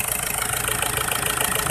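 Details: Isuzu Trooper 4JX1 diesel with engine shaking from an injector problem; uneven pulsing knock and shake at idle instead of a smooth beat, rough idle from injector fault.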